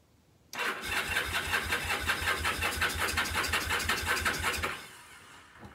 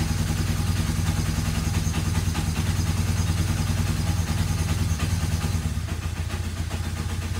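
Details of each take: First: Kawasaki KZ750 rescued from scrap, cranking with carb cleaner sprayed in: steady fast cranking, about three beats a second, never catches; no-start, possibly no spark. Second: Free, rusty Kawasaki KZ750 motorcycle, first start after a shot of carburetor cleaner: steady, even low rumble with no knocks or misses over ten seconds. It runs smoothly and doesn't sound terrible.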